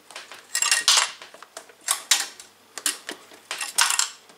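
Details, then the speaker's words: Early-1980s Farnell DTV12-14 12 MHz analog oscilloscope, unpowered and tipped by hand: bursts of light metallic rattling as something small and hard slides loose inside the case. "something rattling around inside of it. And it sounds like it may be metallic."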